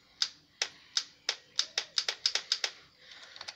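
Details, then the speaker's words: 2009 Kawasaki Ninja 650, kill switch down, pressing start: sharp relay clicks with each press, F1 light and headlight come on, starter never spins; enough power present; owner was told of a throttle body start-up problem. "You can hear clearly the relay clicking, you know, so this got enough power."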